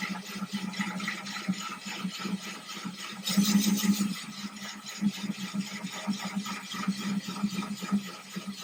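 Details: Ryobi drill with diamond bit wet-drilling thin 10-gallon aquarium glass, slow, water kept topped up: even gritty grinding, low hum, sloshing water, no chatter or catching; no cracking or splintering.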